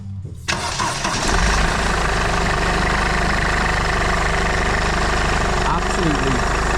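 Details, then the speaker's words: 2008 Mercedes E220d diesel after new alternator pulley and auxiliary belt: cranks, catches and settles to steady even idle with no squeal, chirp or rattle from belt side, tensioner stable; engine noise much improved. "perfect and not only that you will notice a drastic uh Improvement on the engine noise as well"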